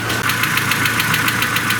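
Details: Mercedes A140 (W168) petrol engine idling just after start; crisp, even ticking about seven a second over the idle, confirmed as tapping hydraulic lifters, which were then replaced.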